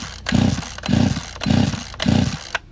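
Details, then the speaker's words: Chainsaw with spark but wet plug, choke pulled and ignition on; four pulls about half a second apart, each a short sputtering burst that dies at once; flooded engine. "Ну, кажуть, що вроді залило, не знаю. Зараз спробуємо витягнути дросель заслонки, закриємо воздух, включимо зажигання, попробуємо завести, посмикаємо."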